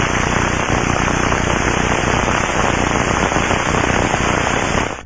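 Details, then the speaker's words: Aircraft bearing heard through the Ultraprobe 2000 ultrasonic detector headphones: a loud, rough, continuous rushing sound that cuts off at the end, indicating a lack of lubrication rather than the crackling of bearing failure. "crackling sounds indicate bearing failure and rushing sounds which are loud and rough can indicate a lack of lubrication"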